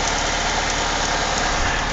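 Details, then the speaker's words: 1999 Saturn SC2 petrol engine being scrapped for needing too much work, idling with a busy metallic rattle and fast ticking that the owner attributes to timing chain rattle and bad lifters. "yeah not too bad but boy do I hear that timing chain rattle around and it's got bad lifters just listen to that"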